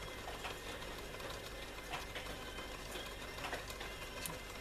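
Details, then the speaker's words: Elizabethan LZ34 tape recorder with TD10 deck: busy mechanical chatter, uneven ticking and light rubbing over the motor hum, with tape speed fluctuating. The capstan is suspected of rubbing; a replacement capstan is planned. "so therefore i almost think that that capstan is uh rubbing you while changing"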